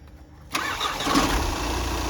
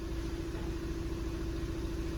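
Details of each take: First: VW Passat after a new LuK flywheel was fitted and repairs completed: short crank, then the engine catches and settles into a smooth, even idle with the former flywheel knocking gone; normal start. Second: VW Passat with six-speed DSG, engine vibrating heavily, before flywheel replacement: rough idle with low, uneven "ghad ghad" knocking about three a second under a steady hum; dual-mass flywheel knock, to be replaced with a new LuK unit.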